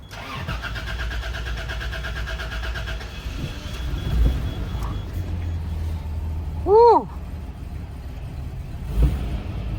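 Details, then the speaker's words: Toyota 80 Series Land Cruiser being driven after spark plugs reinstalled, new battery, old fuel possibly sitting (owner considering fuel pump); starter grinds steadily for a few seconds before engine catches and settles to idle: still a long crank, cause unclear. "not bad. Still has a long crank for sure."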